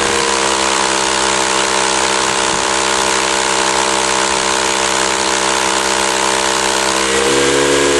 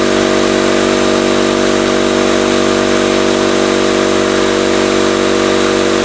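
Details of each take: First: 20-gallon Campbell Hausfeld oil-less compressor that would not build tank pressure, no leaks found: loud even pumping hiss, steady motor tone, rapid regular pulses; some pressure but weak output, worn compression ring, owner suspects other problems. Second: 20-gallon Campbell Hausfeld oil-less air compressor after reassembly, first test: steady, even motor-and-pump drone with no knocks or rattles, running normally but building pressure slowly; later a split copper tube was found.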